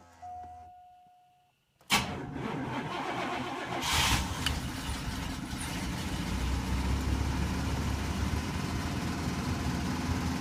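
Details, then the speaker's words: 1983 Buick Park Avenue, long stored in shop, cold start: starter crank catches into loud, raspy idle with uneven puffing tick; bad exhaust crossover pipe leaking, fan belts also stretched. "the exhaust the crossover pipe is is bad so when it's running you get that intensity that's actually the exhaust pipe that is leaking unfortunately but it is what it is"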